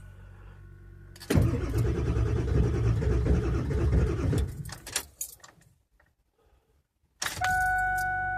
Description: This is what bad glow plugs sound like when trying to cold start 99 7.3.